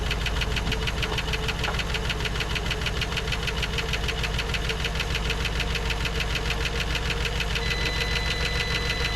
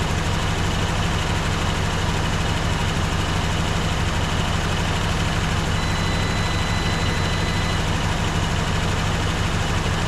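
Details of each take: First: 1954 Dodge Coronet Suburban wagon V8 (Hemi/Poly), stored 42 years, first start with about 35–40 psi oil pressure: fast, regular light ticking roughly three per second over a steady idle; lifter noise, gone by the second start. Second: 1954 Dodge Coronet V8 (Hemi/Poly), stored 42 years, now warm, freshly refilled with coolant: steady low idle pulsing about three beats a second, even and smooth, no ticking; healthy engine.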